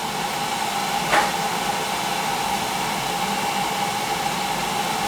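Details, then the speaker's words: Old boiler after replacing bad control: pre-purge, then single soft click as burner lights and steady even roar with constant tone; normal burner ignition. "i got the pre-purge it's pretty encouraging that i should fire there it goes hear it yeah"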